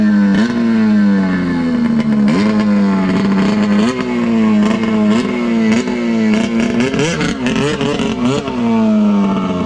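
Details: Arctic Cat F7 two-stroke snowmobile on a test run after fuel was swapped (it had died on the stand as if seizing): screams and rises cleanly under throttle, pulls hard, no stumbling; running healthy.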